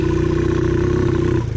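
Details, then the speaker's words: TaoTao 110cc mini quad at fast idle: fast steady knocking clatter, smoking heavily, very low compression; engine worn out and to be replaced with a Predator engine. "it's no running them still runs just knocks and it smokes a lot so I think it's time for our nice new predator"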